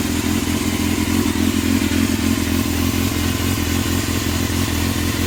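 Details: Yamaha Thundercat after carb overhaul with new float needles and seats for leaking float valves: crisp, even four-cylinder burble picking up cleanly with throttle, no misfire or hesitation; runs healthy.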